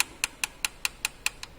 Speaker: there are noises that can be generated as a valve if for example there is a problem with a valve clearance you happen to hear a tapping noise clicking sound or a ticking sound something like this